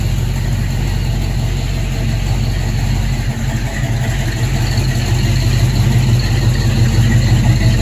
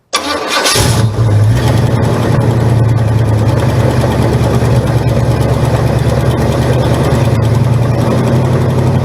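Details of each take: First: Buick V8 (one of the project cars: 1971 Gran Sport with bored 455, 1970 GS 455, or 1970 Skylark GS clone with 455) idling and revving evenly with low burble and no knocking, sounding much better after tightening to cure a noise; normal. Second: 1971 Buick Gran Sport with a 1973 Buick 455 bored 30 over to 462 ci, at idle: a steady, lumpy V8 idle with a faint repeating knock underneath; suspected loose flex plate/torque converter bolts, to be checked on a jack.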